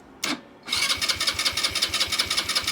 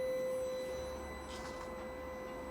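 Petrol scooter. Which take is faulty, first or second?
first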